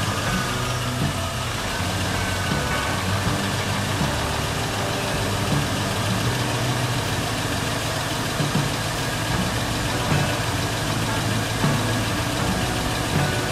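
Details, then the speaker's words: Garage-rebuilt LS engine, first start after priming oil pump, coolant system still water-filled: started very quickly, steady even idle with smooth low rumble, no knocks or ticks; about 58 psi oil pressure, normal idle. "that started up very quickly i've got about 58 psi of oil pressure"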